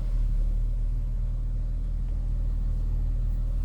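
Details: Smooth, even low rumble with no ticks, knocks or misses from a Chrysler 300 3.6 VVT, running after a no-start, no-crank issue. The problem is suspected to be a computer glitch or the brake pedal not engaging.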